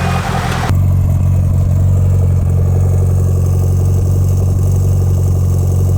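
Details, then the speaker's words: Rebuilt Mitsubishi Lancer Evo 8 idling after the fuel return fix: deep, steady idle with an even low rumble, no misses or knocks. Sounds amazing and healthy. "So this sounds amazing. It sounds really good."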